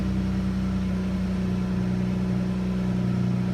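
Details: Dodge Charger 3.6L V6 restarted after a fuel pump swap, with fault codes P0463 and P2068 erased and no engine code returning: a steady low hum with an even pulse and no knocks or misses, a smooth, healthy idle.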